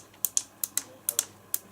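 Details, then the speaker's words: ZX Spectrum keyboard after replacing the membrane with mechanical buttons: eight crisp, sharp clicks in under two seconds with quiet between them; keys actuate cleanly, everything works, normal key clicking. "все работает. Слышно, как она щелкает."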